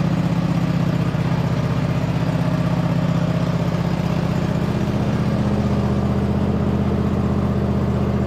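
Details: 2007 White Outdoors (MTD) CT 54 zero-turn mower, Briggs twin, sat 3-4 years, start on choke after top shroud refitted and factory fuel line hooked up: steady, even low putter at constant speed, no misses, knocks or surging, running on its own; normal idle.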